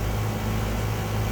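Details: 1.5-ton York condensing unit, R22 recovered, nitrogen-flushed, vacuumed to 250 micron, recharged R410A: steady low hum with coarse rattly drone, like a rock inside; broken compressor valve plate, suction line hot, liquid line cold, little cooling.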